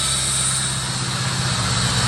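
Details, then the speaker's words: 1985 Chevrolet Corvette C4, sat about 2–2.5 years, idling and steaming from spilled fuel: a loud constant hiss over a low steady idle, a massive air leak up front. "still steaming a little bit up here guys it sounds not that bad besides the massive air leak up front"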